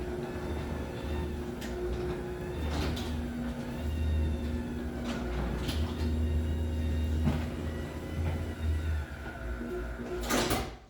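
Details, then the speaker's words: Chamberlain HD900D garage door opener on a small door, motor not original: a steady low hum with a slight whine and light clicks, then a gentle soft stop. Runs well, just a bit whinier than a new original motor. "see I can hear it does run really well it's got that nice soft stop gravel to it this one does whine a little bit more than I think it probably would have with you know the original motor if the original motor was brand new but it still sounds good"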